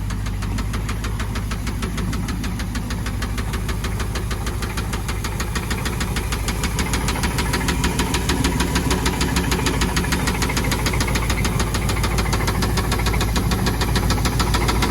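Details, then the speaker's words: 1994 Mariah Z241 Davanti boat with a 350 5.7 Magnum MerCruiser V8 at idle: a hard, rapid knock about three per second from the bottom end. Valves and pushrods were checked and OK; owner suspects a rod bearing failure. "so that's definitely woody woodpecker in that engine i think it's something like a rod knock so we need to re remove the engine again and rebuild it again"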